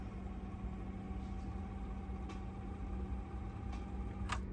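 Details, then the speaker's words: Teac cassette deck after replacing the idler tire with a new one, the old one having been noisy: playback has only a faint steady hum, with no squeal, rumble or flutter from the transport. "And now playback is fully quiet. Here. I'm trying like to give you a chance to hear. I cannot hear any noise."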